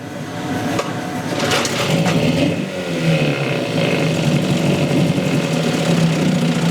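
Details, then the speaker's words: 1963 Evinrude 5.5 HP two-stroke outboard after the problem was found and fixed, shifted into forward, neutral and reverse; runs steady and even with no stumble or hunting, peeing out the tell-tale well; sounds a lot better, healthy normal running. "Bo he sounds a lot better let put it in gear see we all righty oh yeah"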